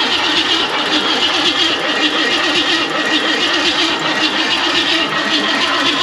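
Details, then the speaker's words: 1969 Ford Mustang Fastback cranked after sitting 30 years, valve covers off, distributor disconnected, checking oil to rockers: steady even starter churn, no firing; turns over freely with ignition disabled, sparking heard. "now while we're also cranking it I can hear this thing sparking even though I have it disconnected from the distributor right now"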